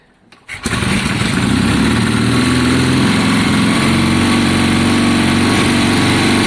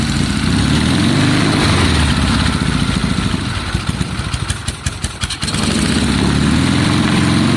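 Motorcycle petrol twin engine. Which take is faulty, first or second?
second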